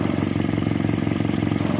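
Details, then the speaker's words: 1946 Jeep, old engine just revived, carbureted, choke out, oil pressure up, not yet warm, burning off sprayed-on residue: steady even low putter, regular firing beat, no knocks or misses; idling on its own, sounds really good. "No temp yet, but she is idling on her own. Burning all the yuck off of it that I sprayed on it. Wow, she sounds really good."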